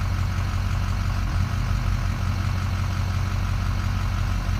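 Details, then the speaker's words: Diesel truck bought at auction, fully warm with coolant and oil temperature normal: deep idle with an uneven, stumbling beat that drops a pulse now and then, missing only at idle and worse with lights off; IDS showed injectors dropping. Cause unconfirmed. "It's missing, or it's. I had IDS on it earlier, and it was like it was dropping injectors all over the place. Only at idle."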